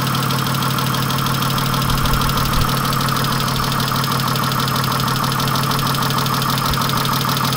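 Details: 1997 Chrysler Sebring at idle with a loose, rattly, diesel-like clatter of about three knocks a second; engine knocking noise, source not identified.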